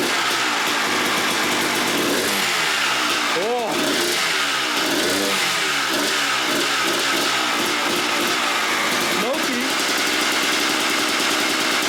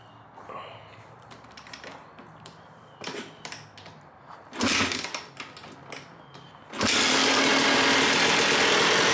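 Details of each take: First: 1997 Suzuki RM250 two-stroke, abandoned and not run in years, fuel line just reconnected: crackly sharp rev sweeps between rough idling, very smoky, only keeps running on choke. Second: 1997 Suzuki RM250 two-stroke, abandoned bike revived, running choke off on a Mikuni carb after cleaning the jets; fires after some clatter into a crisp, steady, even idle.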